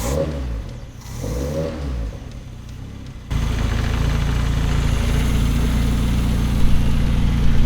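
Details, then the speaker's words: Stock car (tarmac car) with freshly self-rebuilt engine, just started, not yet warmed up, no air filter yet: catches and settles into a loud, lumpy, slightly uneven idle under a deep exhaust; idle needs adjusting. "it's now time to start it up and hear it properly. I need to sort that idle out."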